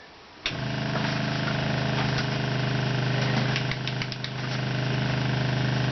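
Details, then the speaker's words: RV with new PEX plumbing replacing copper: electric water pump switched on to pressurise the system starts abruptly and hums steadily without cutting off; a water tank problem is found right afterwards. "It should pressurize the system, which is going to be scary. But once it pressurizes, then the pump should shut off."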